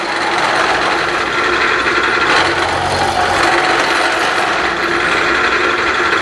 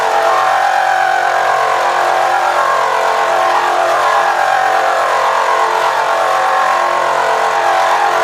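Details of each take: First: Milling a fixture plate to dimension with a Niagara cutter, harsh rasping uneven cutting noise with a shrill buzzing edge throughout the pass; milling cutter chatter leaving chatter marks. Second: Milling a fixture plate with a Niagara end mill, power feed slowed to about 2.5, cutting only a single remaining piece of material: steady, even mid-pitched hum without squeal or chatter; smooth milling cut.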